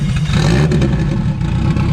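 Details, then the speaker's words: K-series car running with a clutch disc whose splines are stripped (blamed on the clutch brand). Rough drone with clatter and uneven grinding, no drive take-up. It barely goes into gear. "It won't even go in a gear really because the clutch is so damn bad."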